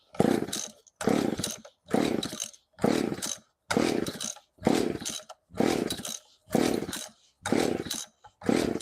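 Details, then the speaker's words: McCulloch PM610 chainsaw, not run for years, after carburetor cleaning with fuel lines drained: about nine rasping pull-cord bursts, roughly one a second, engine not catching yet. Needs heavy choking; it took about a dozen pulls to start. "So, anytime I take the carburetor apart, get the fuel out of the line, sometimes I got to choke them like crazy. Um, that one I think I pulled like a dozen times, but we got it going."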